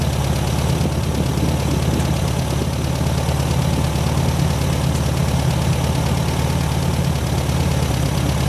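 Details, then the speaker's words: 1972 VW Super Beetle air-cooled engine on its first start after a wiring repair: a steady, even idle with a low, regular chuff and no knocks or misses. The alternator charges at 14 V and the smoke is clearing. Normal idle. "oh yeah 14 volts she's charging like the beast that's a good thing the smoke is starting to clear up"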